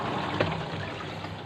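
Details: Sharp top-loading washing machine after fitting a universal control module, tested on the spin/drain setting: steady, quiet trickling and gurgling of water pumping out with no hum, strain or rattle; normal drain.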